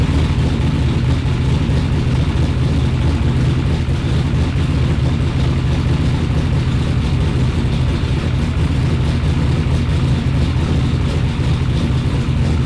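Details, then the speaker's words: Freshly built replacement engine, just installed, idling on a newly loaded tune with no throttle input while started from outside the car: a steady, even low rumble with no surging or stumbling, a smooth normal idle. "I'm going to load a new tune in the car and fire it up standing outside of the car won't even touch the gas pedal"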